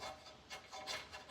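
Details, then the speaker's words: 2018 Ford F-250 brake caliper slide pin, pulled in and out by hand: harsh dry rasping, about three strokes in 1.5 s. Pin was bone dry and binding, likely root cause of brake problem; slides to be cleaned and lubed. "It's not very smooth and it makes a lot of noise and it's totally dry, so it'll bind up and then the caliper can't slide back and forth the way it's supposed to."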